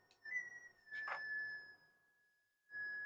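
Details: Minelab SD2000 metal detector with 4000-series logic being replaced by a Nucleo microprocessor board generating pulses, PWM audio from onboard ADC: steady high whistle near 1.8 kHz cuts in with a brief blip; normal detector switch-on tone.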